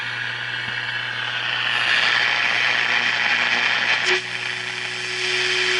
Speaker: by the way you hear that sound going that is actually coming from the standby of my arbitrary waveform generator ask me how long it took to find that one out